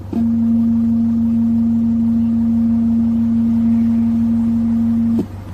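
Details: Nissan Caravan van running, music paused and volume off: loud steady low hum from speakers about five seconds, then cuts abruptly; Rockford Fosgate amplifier driving Timpano mid-range, one speaker blown and amp channel 2 damaged; exact cause of hum unconfirmed.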